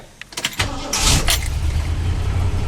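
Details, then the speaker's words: Ford Crown Victoria cold start after repair work: a few clicks and a quick starter burst, then it catches at once and settles into a low, even, quiet rumble. "wow don't it sound great good and quiet started right up"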